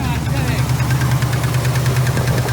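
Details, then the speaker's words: 454 V8 in a Chevy C30 crew cab dually squarebody: sharp regular ticking over steady idle, pretty bad, seeming to come from the back; suspected valvetrain tick, possibly the motor blown, cause unconfirmed. "Hear that tick? Pretty bad. Going from back there."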